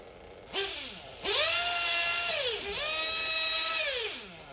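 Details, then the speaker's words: 1/8-scale RC nitro engine high-speed needle comparison, good, slightly rich, then rich: high-pitched revving runs that climb, hold and fall back to idle normally, but the maximum revs stay noticeably lower, showing a rich high-speed needle. "so a clear difference in the maximum revs the good high speed needle and then the slightly rich high speed needle and the rich high speed needle it still sounds okay i mean it returns to idle there's nothing crazy going on"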